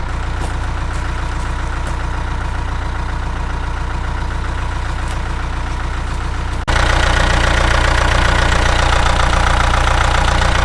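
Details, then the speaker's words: 1998 NMC-Wollard Swinger 3000 wheel loader, 80 hp John Deere diesel with no glow plugs, cold start at about −5 with block heater and battery tender: low even idle then catches into a steady clatter-free rumble; healthy running. "with the battery tender on it too keeping it fully charged I can come out here minus5 and that's exactly how it fires up"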